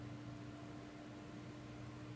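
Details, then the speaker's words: Dell Precision 490 workstation running after boot, compared with a quieter T7500: a steady loud fan whoosh with a constant low hum and a tone near 300 Hz; normal fan noise, just louder on the older machine. "so that's the 490 KVM and it's a 7500 so just a little bit of a sound comparison like I said this one is a whole lot quieter than that one"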